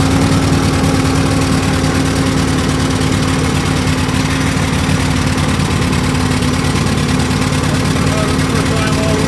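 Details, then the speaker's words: Argo amphibious ATV after winter storage, running again after a carburettor upgrade and replacing a bad fuse that cut the fuel solenoid: a steady, even, healthy idle with no stumbling or hunting. "Oh, you don't know how good that sounds."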